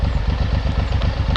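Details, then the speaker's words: Suzuki M109R just back from the shop with new clutch plates and fresh oil, idle reset to the factory setting: a lumpy V-twin idle whose beat drifts slightly faster and slower; the idle is hunting, and the rider wonders if it's normal. "they did up to my idol to like factory and I feel like it's it's going up and down a little bit"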